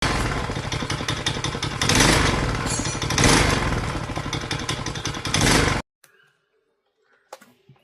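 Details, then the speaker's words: Honda GX35 brush cutter at high speed: fast light metallic ticking like a sewing machine over the buzz, valve tappet clearance out of spec; fix is tappet adjustment, plus worn clutch replacement. "If your brush cutter sounds like a seing machine and has this similar metallic ticking noise, most likely the valve tapet clearance is out of spec."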